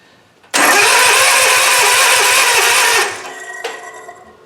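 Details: Cub Cadet Ultima ZT2 zero-turn mower with Kawasaki engine, cranking on starting fluid after starter solenoid fix with a weak, dying battery: strong, even cranking whir with steady compression pulses about five a second; starter engaging properly, normal cranking.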